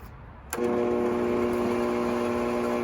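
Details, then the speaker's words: 20-year-old, lightly used Bosch 4000 10-inch table saw: the motor starts with a clunk and runs backwards slowly with a low hum, well below speed. Some sources blame the motor field, but replacing the speed control board fixed it. "running backwards and slowly"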